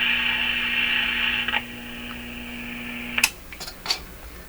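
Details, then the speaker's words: Panasonic R-109 transistor radio powered from an external supply: steady low buzz with higher whine that stops at switch-off; mains hum from a poorly filtered power supply, not the radio. "okay hear the hum supply is no good"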